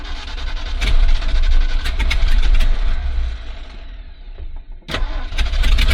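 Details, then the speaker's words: 1970s Ford dentside ramp truck revived after about 10 years with a Chevy HEI ignition module rigged in: catches after cranking and runs with a fairly steady low rumble, briefly dips, then picks back up. "She's running though, the old cunt. It just took a little bit of Chevy to get her going."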